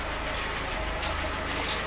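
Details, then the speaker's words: Audi 80 engine idling quietly and evenly with no misses, only slight ticking at the distributor; the distributor was cleaned and its rotor is due for replacement. "тут шень тільки чути там трошечки Куличків на розпридвалі але дивіться як тихосенько працює"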